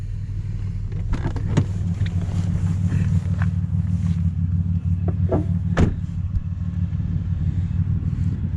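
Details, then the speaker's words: Impala after exhaust repair, heard from inside the cabin with a little throttle: only a soft, even low rumble, no rasp or leak, far quieter than before the fix; exhaust sounds normal. "so big difference from before you can hardly even hear it just give a little bit of gas here"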